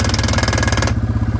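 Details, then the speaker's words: Yamaha Grizzly 600 ATV idling fast with a throbbing single-cylinder beat after its carburetor was replaced with a new aftermarket one. The idle is too high and it won't shift. The owner suspects the idle RPM setting, or possibly the air mixture or a jet, since it wants to die at the low end. "yeah, see, it doesn't want to shift. I think it's just the RPMs are too high."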